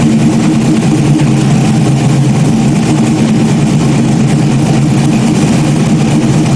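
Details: Stock-block 5.3 V8 race car just rebuilt after almost a year, idling after its first start: deep, steady low rumble with even firing and no knocks or ticks. Smooth, healthy normal idle.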